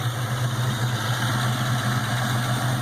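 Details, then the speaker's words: Supercharged 4.6 Mustang GT, first start with Trick Flow stage 2 cams, supercharger not yet mounted; BBK long tubes, X pipe, 2.5-inch exhaust and Flowmasters: steady low rumble with a lumpy loping beat; normal cam idle. "That sounds hella good."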